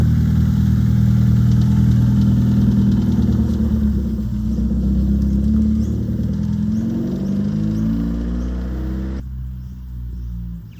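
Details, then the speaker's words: 1997 Hyundai Coupe SFX after fixing a misfire (previously stuttered and wouldn't pull; plugs checked fine) by replacing the coil pack and ignition leads: revs up cleanly and settles with an even, steady beat, no stumble or skip. Normal running after repair. "And that was actually one of the cheapest ones, and it has solved our problem. There is no misfire now. It runs absolutely perfectly."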